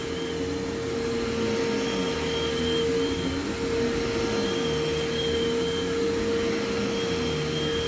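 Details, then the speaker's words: Vintage collector vacuum running on carpet: steady motor hum under an on-and-off high-pitched squeal from the drive belt slipping; otherwise very quiet and the motor sounds perfect. "And you can hear the belt squealing. It is very quiet though, which I do like."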